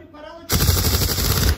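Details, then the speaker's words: Opel Insignia 1.6 CDTi driven over potholes: a sudden one-second burst of rapid hard rattling knocks as the wheel drops into a hole, from worn suspension parts before replacement. "Ama bunlar Çukura düştüm zaman mı ses yapıyor Evet"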